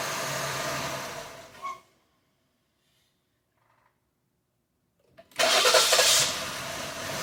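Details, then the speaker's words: 2020 Jeep Grand Cherokee 3.6, P0339 extended crank after another shop's engine rebuild (heads off): short uneven crank then rough catch; scope shows crank signal anomaly at the same tooth each time; crank position signal fault from damaged crankshaft reluctor tooth. "Alright, looks like we still have an issue, right? 1, 2, 3, 4, 5. Same point. This is going to be a crankshaft."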